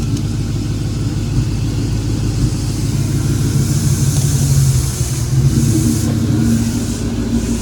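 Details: Mustang New Edge pulling away from standstill with a new, more aggressive clutch: engine rises under load with a rough chattering rattle and hiss; owner suspects the lighter Mloud flywheel (about 22 lb versus 29 lb OEM).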